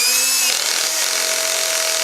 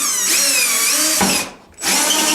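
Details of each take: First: Cordless screw gun driving drywall screws with the adjustable clutch engaged: fast, even ratcheting rattle over the motor's high whir as the clutch slips at its set torque; normal operation. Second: Drill driving a hole saw with worn-down teeth into ceiling drywall in a closet: high steady whine with a skittering rasp as dull teeth skate without biting; worn hole saw teeth.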